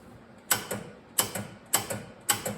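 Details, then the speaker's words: 1979 John Deere 314 garden tractor: key turned, four sharp clicks with faint thuds and no cranking. Starter seized or bad solenoid suspected. "it's just clicking this can either mean two things either the starter is seized in place or the solenoid bad"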